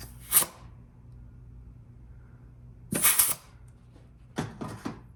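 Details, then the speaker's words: GM 4L60E rebuild, forward drum overrun piston air check with the forward piston plugged by a finger: short air bursts with a soft apply thump and no leak hiss between. The clutch piston seals hold. "So you want to plug your forward piston with a finger and then introduce air and listen for the apply."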